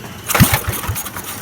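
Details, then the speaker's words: Briggs & Stratton 206 cc go-kart engine, cold, no governor, started with spray: a few uneven pops as it catches and stumbles instead of settling; rough running on cold start. "oh there it is not running real good it's cold right now but it'll run"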